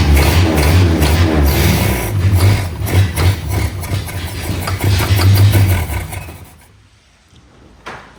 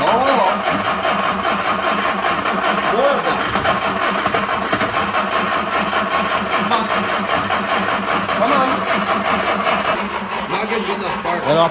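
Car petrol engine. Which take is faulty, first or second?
second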